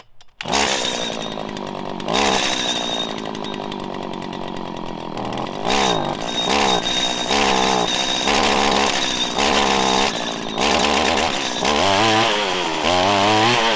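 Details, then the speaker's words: Idling two-stroke trimmer hesitates on throttle blips from a lean low-speed mixture, stuttering then revving up cleanly and hard as the low-speed screw is enriched. "so it went from having an off idle acceleration issue you could hear it i gave it more fuel actually enrichened it and it stuttered and ramped up quicker"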